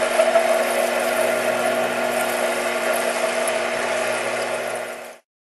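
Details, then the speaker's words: Metal cutting after raising the feed rate with spindle RPM unchanged: a steady, even cutting hiss with smooth motor tone and no ringing chatter, a clean cut with a nice chip rolling off. "I increase the feed rate and they get a nice chip rollin off no changes made to the RPM of the spindle"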